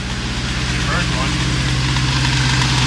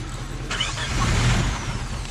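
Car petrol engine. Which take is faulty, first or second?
second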